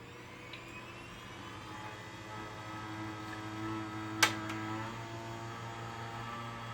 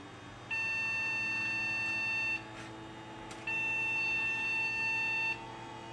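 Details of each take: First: Gateway G6-350 case with newer motherboard, after reseating RAM: fans whir up and settle, one soft click, no beeps; clean boot, earlier failure blamed on bad or poorly seated RAM. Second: Gateway G6-350 chassis with a transplanted newer motherboard that worked before the move: long two-second beeps with one-second pauses from power-on; possible memory issue or a bad fan suspected, not confirmed.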